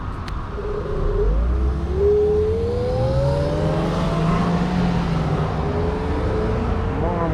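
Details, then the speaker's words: Z8 electric scooter (15 kg) riding in speed mode 3 with the controller's electric brake engaging. A smooth electric whine shifts pitch with speed over road rumble: clean, normal electric brake sound. "I like how the electric brake sounds in this controller don't even know what level it is on, but it sounds ok"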